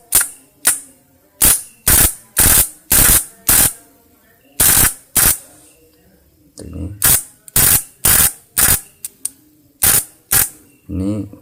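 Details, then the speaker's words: Points (platina) spark test on a modified contact-breaker setup. The sound is harsh with the contacts apart and a clean "tit/tut" with them touching. Sharp, strong snaps about twice a second show the points-to-coil gap is set correctly, giving a healthy spark. "Nah kalau di dipisah berubah suaranya kasar kalau ditempelkan tit atau tut Nah itu baru setelan antar jarak platina sama spolnya sudah pas sudah baik"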